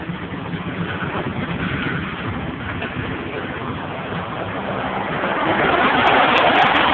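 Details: 1992 Mitsubishi 3000GT VR4 running: uneven, choppy engine note with an irregular stumble about three times a second, roughening as revs rise; engine misfire.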